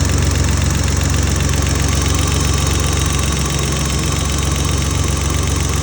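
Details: BMW M30B34 engine at idle: fast, fairly even light ticking about four per second over a steady idle; lifter tick suspected, unconfirmed.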